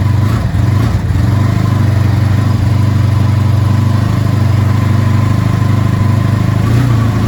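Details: Vintage motorcycle started with the choke on, using a new NOCO NLP14 lithium battery after the old battery failed to fire it: a steady, even low rumble of a V-twin running smoothly with no misses or knocks.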